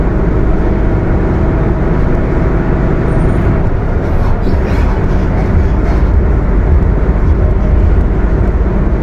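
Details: Mercedes-Benz OF 1721 BTC 5 bus (Apache Vip IV body) under way: heavy, steady low driveline rumble and growl, no clear whine on top; loud rough transmission, cause suspected, not confirmed.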